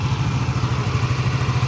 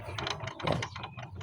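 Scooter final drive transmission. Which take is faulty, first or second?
second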